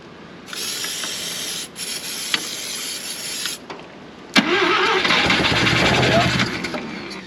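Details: 1971 Mazda RX4 race car, 13B rotary, long parked: whirring crank, catches with a loud rasp, runs briefly and fades; owner running out old E85, suspects fuel, possibly out of fuel, plans to clean plugs; stalls after starting.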